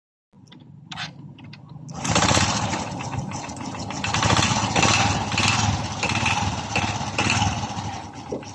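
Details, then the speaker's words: Honda RS 125 Fi single at idle after rebore and reassembly with air cleaner and exhaust refitted: quick, even idle with crisp exhaust beat, no knocking or slapping; sounds brand new again after confirmed piston slap. "ito na yung final na tunog pagkatapos nating ma simbol ang kanyang makina [Palakpakan] Oh my god Wow balik na sa brand new ang kanyang tunog"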